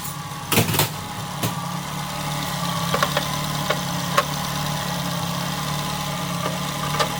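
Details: Nissan Altima, exhaust manifold crack checked for leaks: engine settles into steady, even idle with low hum and a few light clicks; runs smooth and healthy.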